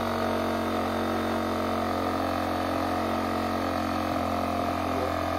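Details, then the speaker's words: Generac iX800 portable inverter generator after replacing bad fuel and cleaning dirty carburetor: steady even hum, no misses, surging or knocks; runs smoothly, starts on one pull, though an overload fault appears. "all right now that everything is put back together all nicely and neat let's give it a quick prime and give it another start see we got it up and running"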